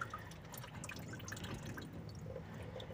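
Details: Honda Civic Wonder with coolant pouring like a waterfall from the water pump and a rough engine noise: irregular dripping and splashing of liquid hitting the ground under the car; heavy coolant leak.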